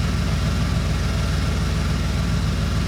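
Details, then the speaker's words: 1990 Ford F-150 Lariat 4x4, 351 Windsor V8, after replacing one ECM capacitor: deep, even idle around 850 rpm with no hunting or surging, replacing the previous high idle that bounced between 900 and 2000 rpm; normal idle. "at about 850 very very stable no surging I think it's safe to say that made a pretty tremendous difference"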